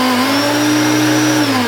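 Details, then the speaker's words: Hoover Turbopower hard-bag vacuum cleaner (1980s–90s, U2194/U2718 range) started in normal and switched to boost, which uses a sprung switch that must be held down: constant high-pitched motor whine over a strong even hum, a healthy vacuum running on boost. "But this one has the boost that flicks back off, so I'll start it in normal and flick it up to boost."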